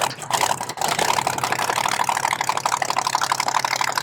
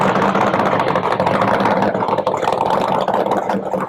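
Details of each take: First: 1970 Chevy Nova SS funny car, 540 big-block with twin turbos: lumpy, uneven idle with a stumbling beat about three times a second; misfire suspected in the front cylinder, number 2, valve cover to be pulled. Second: 1970 Chevy Nova SS funny car with a blown 540 big-block and twin turbos idling: deep, loud idle with a gentle rhythmic rise and fall in revs. This is the right amount of normal surge, which goes away in gear under load.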